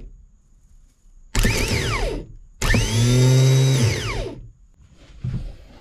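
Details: Zero-turn mower's new replacement starter bench-tested before installation; it whirs up to speed in two clean bursts, pitch rising then falling smoothly, no grinding or dragging; working fine.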